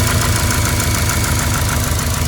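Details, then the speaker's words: Subaru built EJ engine (WRX block, EJ257 crank, forged JE pistons), GTX3076 turbo, before tuning: dull regular knock on every firing pulse at idle, audible even from the cabin; owner suspects piston skirt slap, unconfirmed. "Мотор слышно, как стучит юбка поршня даже из салона."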